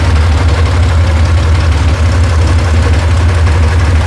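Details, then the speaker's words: Rebuilt FC flat-six, idling low after reconnecting loose fuel pump wire: low, even idle rumble with no misses or rhythmic knock; sounds healthy and settled. "fuel pump wire was off a Oh, little we bit. just had it idling so low."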